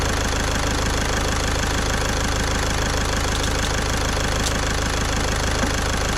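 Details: Caddy diesel after a week-long repair in which a stuck injector was removed with a slide-hammer puller kit: even idle with the usual light rhythmic clatter and steady low rumble, no misses, nice and quiet. Normal idle.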